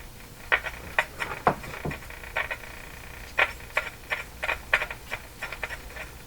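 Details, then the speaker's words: Crosley Mohawk Model 14B tube radio during operational testing after contact cleaner: irregular sharp crackles and pops with no rhythm, localized to one spot; bent tuning capacitor plate rubbing its neighbour. "what is that sounds almost like a the capacitor is rubbing oh there is a plate here which has been okay"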